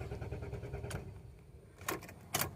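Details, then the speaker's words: Renault Duster petrol automatic that sometimes won't start after being driven and parked: steady starter churning about a second without catching, then a clunk; long crank from fuel pump leaking pressure back to the tank. "വണ്ടി start ആവാതെ cranking മാത്രമേ ഉണ്ടാവുുള്ളൂ"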